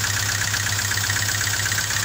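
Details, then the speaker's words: Rough, lumpy idle on a 2000 Hyundai Accent during a cylinder balance test; pulling this spark plug wire gives a significant rpm drop, showing this cylinder contributes, while cylinder two shows no drop and is the weak one. "so now we're going to pull the spark plug here and as you can hear there's a significant drop in the engine's rpm"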